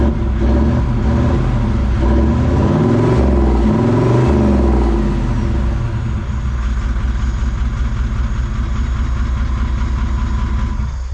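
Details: Toyota 1VD V8 turbo diesel swapped into a Jeep J200, first start after getting fuel to the line: a deep rumble blips up briefly, then settles into an even, steady idle. It runs properly.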